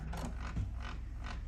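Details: Epson ET-8550 printer suddenly failing to pick up paper with a full tray: low groaning bursts about every third of a second as the feed strains without pulling paper; grunting noise during failed feed.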